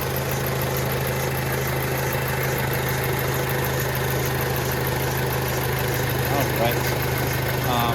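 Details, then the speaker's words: 2006 Audi A4 Quattro 2.0-liter turbo four-cylinder, recorded in the engine compartment: a smooth, even idle with a steady low hum and no misfires, rattles, surges or odd vibrations; a healthy engine. "so as you guys can see this uh engine is 2.0 liter turbo the turbo is located right down there so the engine runs nice and smooth there's no odd vibrations or anything like that"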